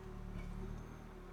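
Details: 2008 Peugeot 207 1.6 VTi Prince engine, after moving a camshaft sensor and clearing codes: steady, even low hum with no ticking or rattle, no fault codes returning, timing chain not needed. Normal idle.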